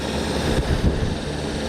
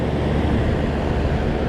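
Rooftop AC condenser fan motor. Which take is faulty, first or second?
first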